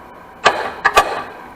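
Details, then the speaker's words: Abandoned Sea-Doo (SPI) jet ski on jumper pack, seized engine with oil added to free it: three sharp metallic solenoid clicks with no cranking; solenoid and start button work but locked-up engine won't turn. "you can hear it clicking the engine's locked up but uh we know that the solenoid start button all that's working"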